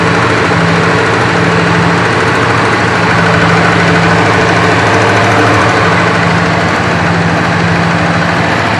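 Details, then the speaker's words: 1965 Chrysler 300 convertible V8 after the distributor, which had a worn upper shaft bushing, was replaced with an electronic ignition conversion and timing set. Loud, even run holding a steady note with no stumble; it previously stumbled above 2500–3000 rpm. "Well, I can tell you one thing. It does rev up a lot nicer. Uh before when I would bring the RPMs on this up past about 2500 3,000 RPM, uh the engine would start to stumble and not run smooth."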